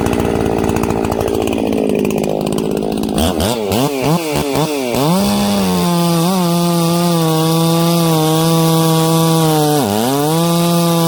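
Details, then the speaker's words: Ported 66cc Echo chainsaw cutting through hard knots: screams at full throttle, stumbles and wavers for a split second in the cut, then picks straight back up to a steady high pitch. "again when these knots are super hard in this piece and uh you could hear it it stumbled for just a split second but it got right back on the pipe"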